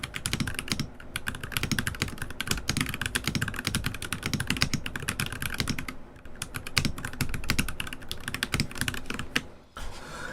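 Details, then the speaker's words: NK65 keyboard still fitted with Glorious Lynx switches, before the swap, recorded with the music muted: quick, irregular typing clacks, solid and even with no rattle or ping. It is a normal, healthy typing sound. "So that is not a bad sound. Like I don't hate that. It is solid."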